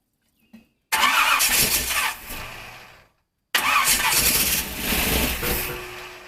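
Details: 1951 Dodge Wayfarer lead sled with big-block Chevy V8, sat a few years, battery just off the charger: two short cranking bursts catching roughly and fading within two seconds; fires on primer but won't keep running.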